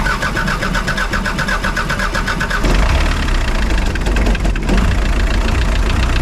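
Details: Spryte snowcat "Rusty" turbodiesel first start after fitting new OEM Zexel fuel injectors and priming: quick crank catches cleanly, settles into steady even clatter without stumbles or misses; noticeably smoother, rock-solid idle.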